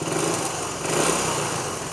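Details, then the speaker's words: 1973 Honda CT90 idling on a cleaned and rebuilt vintage OEM carburetor that replaced an aftermarket one, only barely adjusted toward spec. Quick, fairly even single-cylinder putter with no misses or pops, worlds better than with the aftermarket carb; normal idle. "I've just barely started to adjust it, you know, into spec, but I can go ahead and tell you it's worlds better than it was with that aftermarket one."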